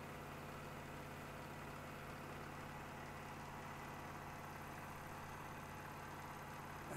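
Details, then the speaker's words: Elmo ST 1200 HD Super 8 projector after shutter wheel belt repair, back cover off: steady mechanical whirr with even low hum and fine clatter; running normally. "can see it's working once we put the back on it won't be as noisy you won't be hearing all this noise"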